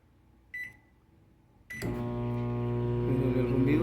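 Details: Microwave that does not heat, under repair: keypad beep, then it starts with a loud, coarse low hum and a faint wavering tone; loud humming noise while running.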